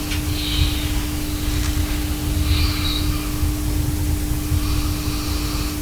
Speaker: Ale to nie znaczy że transformator audio jest całkiem bezgłośny przy bardzo dużym wzmocnieniu sygnału z mikrofonu słychać lekkie buczenie brzmi to mniej więcej tak